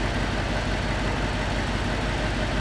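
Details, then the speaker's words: Gen 1 Audi R8 started after its fault codes were cleared: a low idle with an uneven, lumpy beat and occasional stumbles. It is misfiring at idle. "So start it up. Should run. Right, just misfiring."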